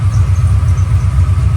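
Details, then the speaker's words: Ford Mustang 408 stroker V8 with a burnt starter cable end, starter reinstalled. Heavy, slow, labored cranking at about five beats a second, still dragging. The owner suspects a weak battery may contribute and is considering thicker starter shim washers. "it sounded to me like it was still doing it sounded like it was dragging a little bit like some of that could be the battery"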